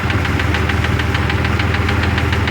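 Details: 2002 Jeep Grand Cherokee Laredo project, run after battery charge: steady idle with a quick regular ticking over a deep hum, running unevenly; owner suspects a faulty part and an air leak where it is pulling in, cause unclear.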